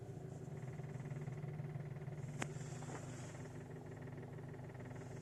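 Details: 2006 VW Golf V GTI at idle: low, steady idle with a loose, irregular knock at the bottom right of the engine and a light rattle; the fuel line hits the chassis from engine imbalance, possibly fixable by securing the tubing.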